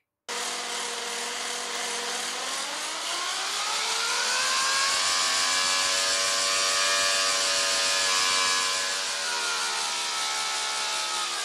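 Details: Prototype Lesley 108cc air-cooled V12 two-stroke model engine with pressurized common-rail fuel via miniature electric pump: high, buzzy wail that climbs mid-run, holds, then eases back; runs smoothly, no misfire or stumble.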